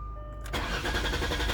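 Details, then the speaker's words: Car with an immobilizer light that does not flash (immobilizer judged OK), codes 1104 and 1240 stored: the starter spins the engine steadily for over a second with no catch or firing, cranking but not starting. "Yeah, it doesn't crank. So, I mean, it cranks, but it just doesn't start."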